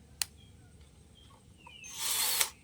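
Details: Electric drill that used to spin and then stop, after a part was replaced and soldered in and tested before reassembly: a few quiet clicks, then a short, clean high whir in reverse. It runs normally.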